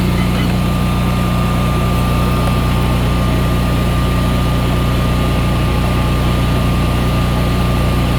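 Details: Generac Evolution 2 16 kW standby generator, after replacing the Wi-Fi control panel, run in manual: deep constant drone with a faint steady whine above, even throughout; running healthy.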